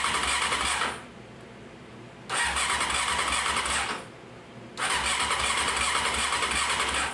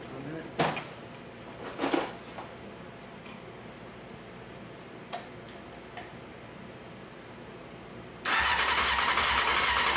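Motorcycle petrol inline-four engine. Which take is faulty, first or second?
first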